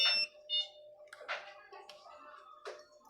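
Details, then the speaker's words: Panasonic top-load washing machine that won't start: continuity test of a control-panel switch gives brief clicks then two short high beeps when pressed, so the switch contacts close and the switch tests good. "dapat may magbib yung ano natin pag pinindot natin sa likod ay magbibs tayo sa isang switch"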